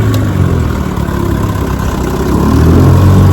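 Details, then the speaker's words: 1957 Johnson 10 hp QD18 outboard after full restoration (rebuilt carburetor and magneto), lake test run: deep, even two-stroke burble holding steady, then swelling slightly as throttle is added; normal running, zero problems. "Some motors give you trouble, some don't. This one gave 0 problems."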